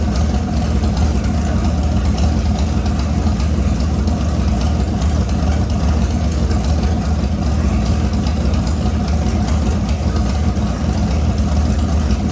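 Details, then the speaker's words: LS-swapped S197 Mustang, freshly built V8 prepared for boost, running after first start while the ECU learns idle: deep, steady idle with an even low rumble, no knocks or misses; runs normally. "well guys i've got to run a meter again so as you can hear sounds really good"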